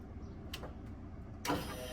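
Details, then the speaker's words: SN95 Mustang competition drift build first start attempt: original fuel pump had 12 volts but did not work, so spare pump plugged in; silence, then an electric whir spinning up to a steady high hum; spare pump works normally, original bad. "Oh, yeah. I don't want to run it dry, but you guys heard that. It It fired right up."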